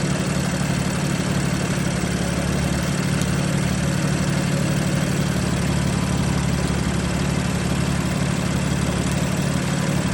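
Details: BMW F80 M3 petrol engine at idle: deep, uneven burble stumbling about three times a second, a misfire.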